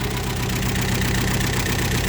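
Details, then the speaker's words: Datsun 1200 V320 panel van, last registered 31 years ago, fired up after fuel system work with new fuel filter; steady, fairly even low idle rumble with no knocks or misses. "I gave it one more go. Turned the camera off, gave one more go. She fired up, didn't she?"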